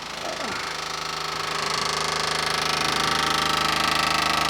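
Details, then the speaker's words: 1979 Jeep Cherokee parked 21 years, key switched on: a steady, rapid buzzing chatter from mid-vehicle underneath, not under the hood. The owner thinks it's the electric fuel pump rattling and plans to add a ground strap from the battery to the body. "That thing is making the noise, and I think it's the fuel pump. I think it's an electric fuel pump."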